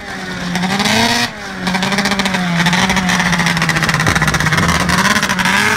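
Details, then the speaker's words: Arctic Cat ZR440 snowmobile on first test ride after rebuild: engine revs hard but the note breaks up and stutters near the top, dropping out briefly; running lean up high, clutch engages late, needs fuel pump and carb tune. "around again God damn it Curtis yeah here it's still sputtering at that top end"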